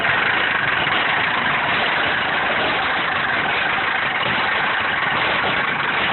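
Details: Mercedes 240D diesel idling with an uneven, lumpy beat, about one stumble a second over steady clatter; rough idle, cause unknown.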